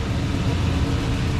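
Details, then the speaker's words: 2002 Toyota Tundra after fuel pump replacement and bed reinstalled: steady, even low rumble running strong, with no misses, knocks or ticks; normal idle. "oh let's start it up make sure you guys get to hear it run there we go there it is running strong"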